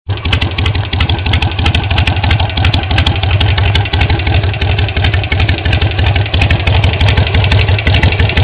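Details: Harley-Davidson Sportster 883 XL Low at idle: lumpy V-twin idle with a crisp, fast tick on every firing beat; the source of the tick is unclear.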